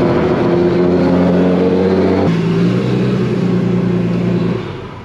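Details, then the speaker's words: Turbocharged car, idling; fast faint puffing tick on exhaust note; air felt at top of passenger-side header/manifold turbo V-band clamp, confirming exhaust leak. "all right well I pretty much confirmed there is some kind of leak right there um I definitely felt some air at the top of the v-band"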